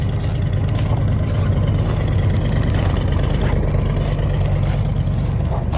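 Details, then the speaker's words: 1976 Chevy 454 big block cold start at about -28 to -35°C after block heater and charged battery, on roughly 3-year-old fuel: deep steady low rumble at an even cold idle with no misses, knocks or ticks. "Now, she's just going to idle. We'll let her come up on her own. There she goes."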